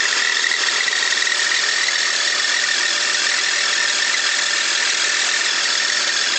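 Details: 2001 BMW X5 idling: light, quick tick about twice a second over a high hiss, ticking speeds up with throttle; owner unsure of cause (suspects valves, lifters, bearings, rod knock or loose spark plugs).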